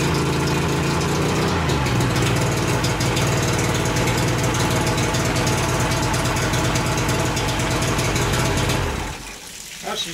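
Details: 1988 Mercury 70 HP two-stroke outboard, first start in years, good spark on all three cylinders, carbs not yet cleaned, middle carburetor leaking gas: engine fires and settles into a busy, slightly uneven idle that dies away near the end.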